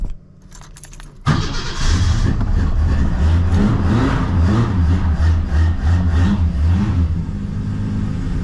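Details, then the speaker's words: LH Holden Torana engine started from cold with a couple of pumps and choke, warming up before choke off; keys rattle, then it catches and settles into a smooth, even idle with a steady low note, purring nicely. Normal idle after cold start. "let that warm up for a minute and then you can turn the choke off as you can hear there she purrs along really nicely actually it's got a nice sound to it nice note"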